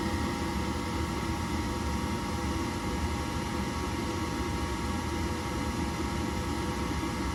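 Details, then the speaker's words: Horizontal gas-fired furnace in an attic, after a no-heat/no-ignition diagnosis, fires with the flame sensor light on; blower gives a steady rushing hum with tonal whirr and uneven flutter (inducer 1.8 A, blower 4.7 A); debris in the blower wheel. "this one's got a flame sensor light on there which is on so it's detecting flame and we should just get our blower last and we're probably going to take an amp draw on this because it doesn't sound good"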